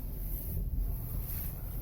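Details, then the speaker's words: Ford Explorer (2011-2019) after replacing front strut mounts whose bearings had dirt and sand ingress causing clunks when steering, at -5°C: steering turns with only low steady rumble, no clunk. "예, 아무 소리도 안 나죠?"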